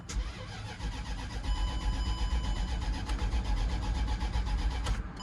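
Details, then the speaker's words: Land Rover crank-no-start after clearing codes with a LAUNCH scan tool: steady starter cranking at about four compressions a second for five seconds, engine never catches or fires; cause unknown. "Nope. Nope, definitely something going on."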